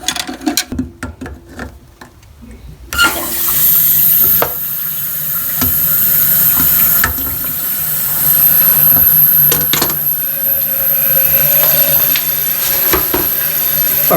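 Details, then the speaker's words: American Standard toilet after the whole Fluidmaster fill valve assembly was replaced (the new seal was the wrong size): steady rushing water as the tank refills, then the valve shuts off normally. "it's turning off it's working like it should"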